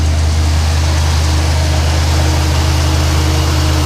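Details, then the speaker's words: 1972 Chevy C20 V8 truck at cold idle, recorded from under the hood: low, heavy idle with a steady lope of about three pulses a second and no tapping, sounds mean with plenty of power. "that's how she sounds let's get back under here so you can hear it there you go listen to that it sounds pretty mean don't see this thing's got plenty of power"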